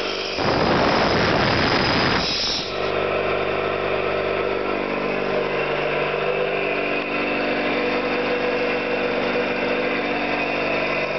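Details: Orlík 2 JSK 75-2 compressor, one of its first provisional starts after owner's own overhaul, motor started via star connection: loud start-up burst then steady, even piston chug with constant motor hum; running smoothly.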